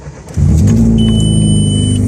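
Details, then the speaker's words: Petrol car on a cold start with the muffler middle box removed, leaving a hole. Loud, deep, booming, aggressive rumble from the exhaust leak, heard before it was welded and fixed. "Today, I need to go fix an exhaust leak because where I took the muffler out, the middle box, there's a hole now there. So now the sky is sounding really aggressive."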